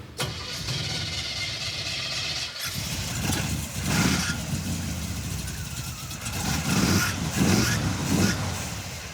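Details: Junkyard Chevy Tri-Five with HEI distributor, after coil replacement: engine catches and runs rough with irregular pops and spits through intake and exhaust; misfire, not fuel, so the ignition module is suspected next.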